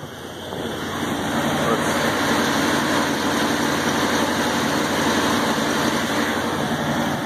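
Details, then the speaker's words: Truck engine at idle after adding about a pint of automatic transmission fluid to the oil to free a suspected stuck lifter; exhaust noise audible, previous top-end ticking gone, valvetrain quiet. "yep I can hear the exhaust noise but I can't hear the engine tick anymore"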